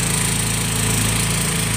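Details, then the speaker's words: 2018 Yamaha Mio M3 scooter, hard to start and helicopter-like rough running, blamed on a late oil change. Held at full throttle, the engine drones at a flat, rough pitch and never revs up; top speed is only about 20. "motor itu tidak meraung-raung guys. Tidak mau sama sekali ya."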